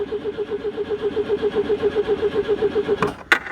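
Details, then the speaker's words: Citroen GSA air-cooled flat-four, long parked, old damp HT leads, choke set and pumped: steady starter churn, about six or seven compression beats a second, never fires; no fuel reaching it. "we'll give her a couple of pumps but I doubt it'll do any good whatsoever cuz she won't have fuel"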